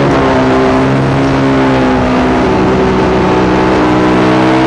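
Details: Yamaha YZ450 single in a supermono race bike at high steady revs sounding ragged and uneven instead of crisp. Constant misfire under load, worse after a couple of laps; carb, fuel system, breathers, ignition, coil, generator changed without cure.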